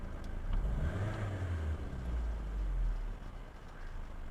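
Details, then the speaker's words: Suzuki Ciaz 1.2 L, CVT, after throttle body cleaning (no scan-tool reset) for low, stumbling idle; throttle blipped, revs fall back smoothly to steady 700 rpm without swinging or hunting, A/C on and off; fixed. "อ่านี่นะครับก็จะลงมาปกตินะครับอ่านี่นะครับรถไม่มีอาการสั่นไม่มีการสะดุดรอบอยู่ที่700รอบนะครับในขณะเปิดแอร์และปิดแอร์นะครับ"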